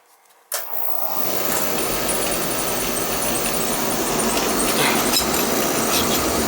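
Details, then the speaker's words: Oil burner for a no-heat house call, after replacing the delayed oil valve: lights with a sudden whoosh, then steady even roar with faint flutter, a little rumbly; technician judges it running slightly lean, possibly delayed, cause unconfirmed. "fires running in a little lean we don't want it you know it's possible that delayed a little"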